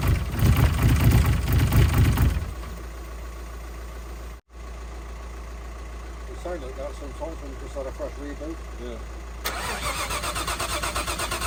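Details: Nissan R33 Skyline, freshly built forged engine, first start on running-in oil: starter spins the engine steadily, about two beats a second, never catching; no start because the spark plugs weren't firing, fixed by swapping in old plugs.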